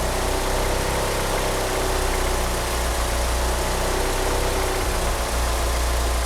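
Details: Engine fitted with 850cc injectors: low, uneven idle that lumbers and wavers instead of settling, with a faint chirp from a slipping steering pump belt; idles rough and cannot rev up.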